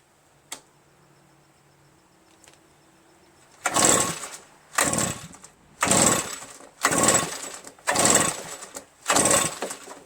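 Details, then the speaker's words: Redmax EBZ8050 backpack leaf blower reassembled from pieces, on choke with throttle at mid, after starting fluid: six dry recoil pulls about one per second with no pop or catch. Cranks but won't start; the owner suspects low compression from carbon-stuck rings. "Not a sign of starting. Starting fluid. Not a sign of any starting."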